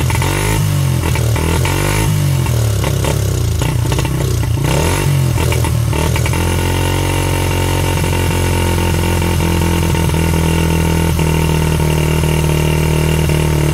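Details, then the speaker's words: 1985 Honda XR80R single, not run for a long time, started with a drill-driven starter and a squirt of fuel after seeming flooded; spark plug threads stripped: after rough sputtering it settles into a steady, even run with no knocks or misses. "will it run yes it will oh my God"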